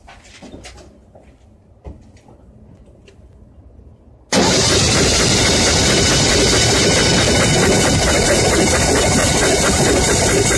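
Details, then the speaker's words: Ford 300 4.9L inline-six fires and runs with a steady top-end tick over the idle. No oil reaches the rocker arm, suspected at the rocker arm to pushrod union from wear; a high-volume oil pump did not help. "okay I'm not getting any oil to my rocker arm and I think it's the union between the rocker arm and a push rod"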